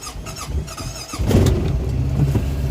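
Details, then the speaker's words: Honda Pioneer UTV after repairing dog-chewed, shorted wiring, key turned with foot on brake: short crank, catches cleanly after about a second and settles into a steady even idle; starts normally. "there we go oh it works woohoo we're in good shape now right guys"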